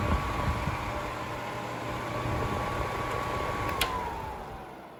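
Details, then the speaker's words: Seabreeze Cool Sweep 10-inch table fan, 120VAC 60Hz, new old stock boxed for years, on high speed: thin steady whine over airflow hiss, sliding lower as it coasts down; owner suspects dry bearings needing oil, not confirmed. "oh the bearings sound kind of dry i'll probably have to open it up and oil it but it shouldn't be an issue as the fan appears to be pretty easy to open up"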